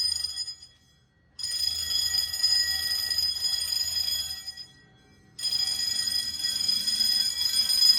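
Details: Fire-Lite MS-9200UD fire alarm panel in a basement test setup sounds clanging bells in bursts with pauses between groups, a temporal code 3 pattern showing the system is in alarm.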